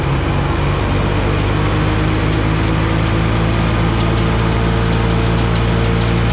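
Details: Wisconsin VH4D engine on an abandoned Bandit model 65 wood chipper, running after engine repair and copper washers replacing neoprene ones: steady, even, deep smooth drone without knocks or misses; starts up great, runs really well.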